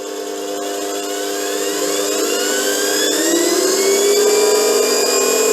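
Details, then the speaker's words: DC treadmill motor on a repaired 6x9 belt/disc sander-linisher with SCR controller; potentiometer turned up, smooth whine rising steadily in pitch, no grinding, rattle or stumbling, then running happily: normal motor run-up. "turn the potentiometer and you can hear the motor kick up which is over here running happily"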